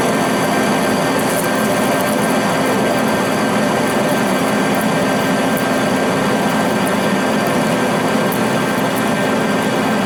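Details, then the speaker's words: Accusize QTR 22 parting tool on a lathe cutting 303 stainless at 180 rpm under power feed, no lube, with long stick-out: steady even cutting hiss over the spindle hum, no chatter or squeal; parts cleanly. "any problem 303 stainless power right through it without even having any issues whatsoever"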